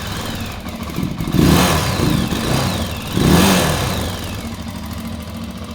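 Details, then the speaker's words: Janus Halcyon 450 single-cylinder motorcycle after valve clearance adjustment, in neutral, quick start-up: thumps at idle, picks up cleanly on two blips and settles evenly, no ticking or knocking; normal running. "you can always give it a quick start up if you want to hear make sure everything sounds good"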